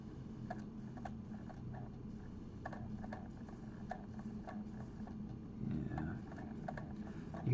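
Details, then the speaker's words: PS2 disc drive after a repair attempt; soft regular clicks about once a second over room hiss as the drive repeatedly seeks and fails to read the disc, the same fault as before. "hear that clicking that's what it did before yeah this is not working"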